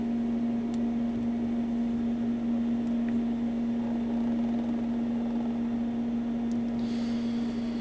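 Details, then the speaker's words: AES Six Pac tube amplifier (six EL34/6CA7 output tubes) after both filter capacitors replaced and biased, no load on speaker terminals: steady low mains hum, residual ripple about 4.8–4.9 mV, much reduced but still present. "Now, that's dropped the ripple down quite substantially. It's even lower than the other amplifier, but there is still quite a bit of ripple there."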